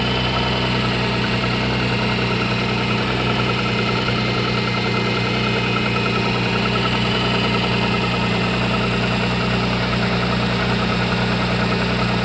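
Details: MG ZS 180 V6 engine at steady idle with an irregular light tapping, about three per second, over the hum; engine knock, source uncertain.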